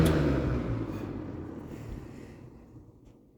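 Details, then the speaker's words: Late-1970s Kmart/Lakewood K-223 20-inch box fan with McMillan motor coasting down from low speed: hum fades smoothly over a few seconds with no scraping or rattle; good spin-down, healthy bearings. "let's spin down from low that's a very good spin down time still got really good bearings"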